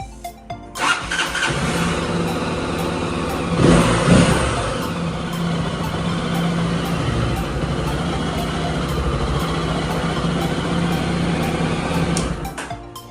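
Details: Honda CB300 motorcycle restarted after a repair for the engine locking up with cracking noises: cranks briefly, catches at once and settles into a steady idle, with music in the background.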